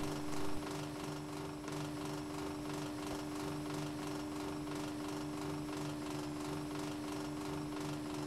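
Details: Air conditioner running with a steady droning hum and a fast pulsing chatter riding on it, even throughout; noisy A/C, cause not identified.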